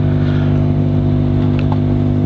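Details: Speaker amplifier: constant low buzzing hum near a hundred hertz, traced to the tone control board rather than the power supply; lifting the tone control board's ground reduces the hum.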